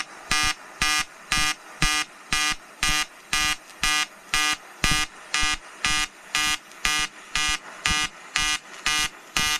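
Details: EWM Tetrix XQ 230 Puls AC/DC Expert 3.0 TIG on 5000-series aluminium with 2.4 mm 2% lanthanated tungsten and 2 mm filler: a steady buzzing arc pulsing about twice a second in even bursts; a normal pulsed AC weld.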